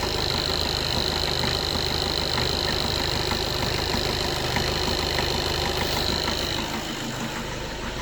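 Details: Skoda Octavia A7 2013 1.6 TDI, 188,000 km, cold at 21 degrees. A sharp, fairly regular knock around three per second over the idle while cold; it goes away when warm.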